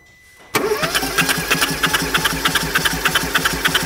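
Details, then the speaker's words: Starter cranking during a compression test on an engine with suspected damage under 100,000 km: even cranking, steady pulses; all cylinders 10 bar, equal compression. It should run if the valve timing is right; plugs were bone dry, so no fuel. "Alle 10 Bar? Alle 10 Bar. Damit musst du aber laufen."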